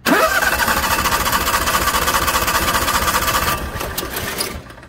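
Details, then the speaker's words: Onan gas generator (5500/6500/7000), fuel solenoid unplugged so the plunger stays shut and no fuel flows while slip rings are cleaned: starter spins the engine in steady uneven pulses for seconds and it never fires; crank, no start from fuel cut. "so in that case you can crank it and'll and it it'll never start"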